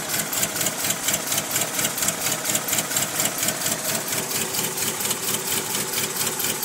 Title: Strange engine noise